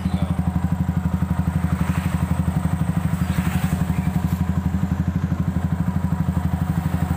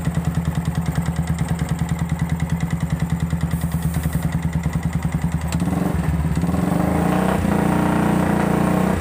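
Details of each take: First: Yamaha Vixion after water pump seal, piston rings and cylinder block were replaced following a dry radiator and knocking: even, steady low thump about four beats a second with no clatter or knock; idles smoothly and healthy after repair. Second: Yamaha Vixion engine with dry radiator, mechanic suspects failed water pump seal let coolant mix with oil and damaged the cylinder block; harsh, rapid knocking at idle, about three per second, rising with revs; piston slap.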